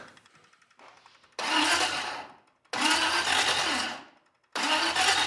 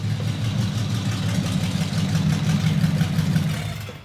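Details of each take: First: Packard custom restoration, first engine start-up with dual carburetors: several short starter bursts crank slowly and the starter sounds funny, but the engine won't fire. Cause is not confirmed. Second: Packard custom restoration, engine with dual carburetors on first start-up, rest of the exhaust not yet fitted: a smooth, deep, even idle burble with a steady low throb; oil pressure good.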